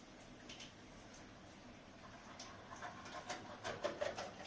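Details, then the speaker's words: Combi boiler heating tap hot water: irregular crackling pops and rattles over a low hiss. "Arkadaşlar şimdi şöyle ki musluktan sıcak suyu açtığımız zaman bak Cihazımız da aşırı bir ses olayı var"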